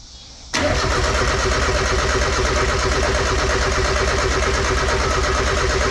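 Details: Mazda Miata nearly finished after a build with a new throttle body: starter turns the engine over steadily at three to four pulses a second but it never catches; cranks but will not start; firing order suspected wrong and changed.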